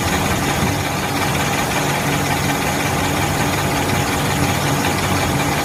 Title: Engine Valve Knocking noise 2015 Mercedes-Benz GLC300 #usedcars #automobile #mechanic #uae #engine